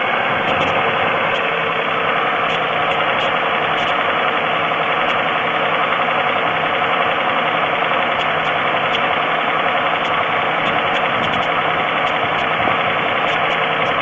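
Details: 3.4L GM engine in a Pontiac at steady idle with a light, uneven ticking knock, about one and a half per second; oil level is full, the noise later stops completely, and the owner suspects piston slap, unconfirmed.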